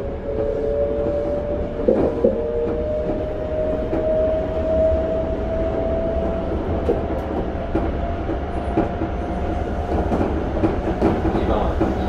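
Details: Toei 5300 series set 5315, Mitsubishi GTO-VVVF, Keikyu limited express Misakiguchi–Kanazawa-bunko, in-car recording; steady mid-pitched whine over rail clatter climbing slightly as the train accelerates, abnormal traction inverter noise.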